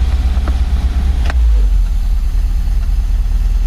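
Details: MGB 1.8 engine after carburetor rebuild, as owner tries to take choke off; deep uneven idle that lumps and hunts instead of settling; rough idle.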